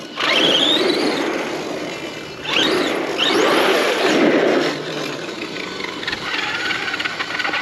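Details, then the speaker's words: Outcast EXB RC car motor after hard landings: the whine rises and falls with throttle and has a rough "rut rut" grating on each pull. The pinion-to-spur gear mesh has gone tight from the impacts, though the motor isn't heating up. "The mesh is seeming a little tight on the gear from all them impacts. But it's not heating up the motor. You can hear rut, rut, rut, rut. That's telling me my mesh is a little tight."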